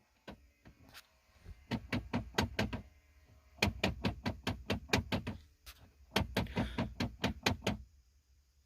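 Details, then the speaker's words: 2005 Nissan Titan 5.6-litre V8: bursts of rapid sharp knocking or slapping from behind the dash when the climate control knob is turned, a failing blend door actuator to be replaced. "So I have this Nissan 2005, which one is making slapping noise at the dashboard."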